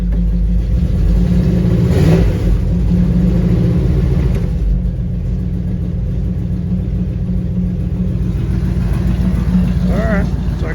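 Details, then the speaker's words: 1959 Ford wagon V8 after replacing one fouled plug and wire, likely loaded up by old rich-running Q-jet: steady even low rumble, no misses; now firing on all eight cylinders. "we just had a foul plug and I'm kind of thinking that's probably from when it's had that old qjet on it and that thing was running Pig Rich it probably loaded that plug up"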